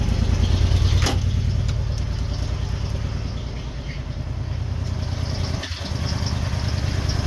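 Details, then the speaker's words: 1990 Ford Econoline van six-cylinder, parked, just started after fuel pressure restored: uneven hunting idle with lumpy dipping beat and occasional stumbles, not running on all six; rough idle misfire, needs tune-up. "it's running it's running it's actually running not running in all six but it's running"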